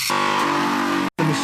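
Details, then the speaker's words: Restored vintage bench grinder running while grinding, sparks flying evenly: short burst of steady, even motor hum with grinding contact at the wheel, no wobble or rattle; runs extremely smoothly with no vibration. "runs extremely smoothly with no vibration at all."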